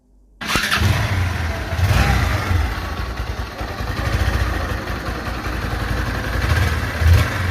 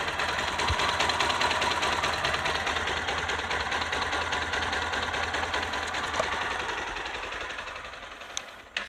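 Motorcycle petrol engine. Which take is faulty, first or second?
first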